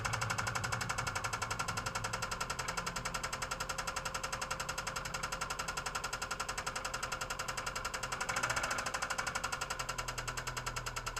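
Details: 2002 Subaru Impreza WRX idling with rod knock: a steady deep knock about four times a second, then the engine shuts off.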